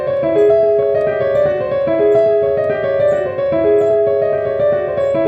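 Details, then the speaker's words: Surface Book laptop playing piano via MIDI keyboard with battery drivers disabled in Device Manager: smooth playback with no crackles, pops or dropouts; owner believes battery drivers spike the CPU causing crackle. "I can literally play all day and will not get a single crackle"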